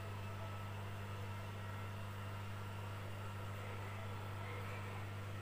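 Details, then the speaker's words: Lux Royal WH 1093i washing machine spinning after the inner drum, cracked spider (segitiga) and shaft were replaced; the bearings were not replaced. A steady hum and even whir, with no gasket rubbing or knocking from behind the drum; it sounds normal again. "hasil dari pengujian kami menunjukkan bahwa kondisi mesin suaranya sudah normal gesekan-gesekan pada basket sudah tidak ada kondisi mesin sudah normal kembali"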